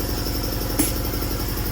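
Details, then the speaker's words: Old but serviced Champion piston air compressor running: steady, rapid low thumping with no knocks or squeals, normal operation. "My compressor's back in the corner, Champion. Actually really nice, it's older than dirt, but it's been serviced, it's in good shape."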